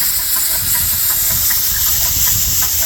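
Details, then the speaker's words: Dake square-piston steam engine with reversing valve on a capstan drive, running in reverse on compressed air (stated 110 lb); rapid steady exhaust chuffing over strong air hiss, even beat. Normal running. "So there you have the Dake square piston steam engine. That's just running on at 110 lbs of steam. It's in reverse."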